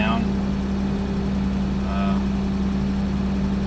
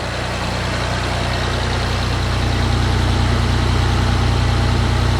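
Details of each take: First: 1989 Toyota Land Cruiser FJ62, 3FE engine, just after desmog/EGR delete and test drive: warm engine idling noticeably high, steady and fast without hunting, faint chirp; owner expects computer to settle it, otherwise suspects another issue (normally lower idle). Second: 1989 Toyota Land Cruiser FJ62 3FE inline-six, first start after desmog/EGR delete; even low idle hum swelling slightly with throttle, steady beat, no misfires, engine now breathes better, normal idle.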